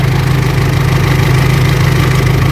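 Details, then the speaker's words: Mitsubishi L200 Triton 3.2 diesel just started, coolant temperature low: smooth even cold idle with no timing chain noise; no check-engine light; chain noise appears only once warm, engine to be warmed up. "tá fria, né? Não tá fazendo barulho nenhum. Eu vou esquentar o motor dela pra gente ouvir o barulho com o motor quente."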